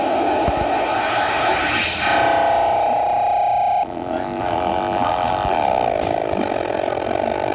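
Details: Weird-noise circuit: a steady whistling tone with harsh warbling noise that jumps and shifts pitch, an accidental sound caused by a faulty PT2399 echo chip.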